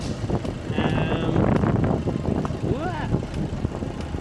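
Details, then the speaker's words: Fiat Panda 100HP T-Jet turbo with newly fitted Abarth 500 ram-air intake, intake sitting slightly askew; short rev then an airy blow-off valve whoosh as the throttle closes, sound a bit more throaty; normal, healthy revving. "you can hear the blow-off valve whooshing there as well so maybe it's kind of hard to tell the difference"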